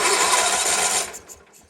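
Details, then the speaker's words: GT/18 motorcycle: quick even cranking chuff on jumper cables never catches; no spark at plug, traced to corroded points, filed down. "We ain't got no spark. That is cool. That's not what I wanted to see. That could be many things."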